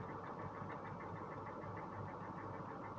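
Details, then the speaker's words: Cadillac Northstar V8 at idle after hard misfiring: a faint, uneven light tap about twice per second; the ticking is suspected to be a possible rod knock, not confirmed. "you hear that ticking but that almost sounds like a rod knock"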